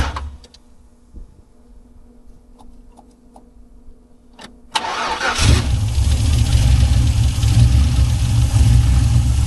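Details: 1979 Buick Regal with a swapped LS 6.0 V8, exhaust done: quiet, then catches and settles into a deep, loping idle about two beats a second, typical big-cam lumpy idle.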